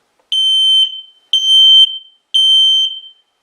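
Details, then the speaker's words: X-Sense smoke and carbon monoxide alarm pressing the test/silence button: three loud, shrill half-second beeps about one second apart, its normal self-test pattern; alarm tone over 85 dB. "the test silence button on the front here is real simple we're going to test it so cover your ears"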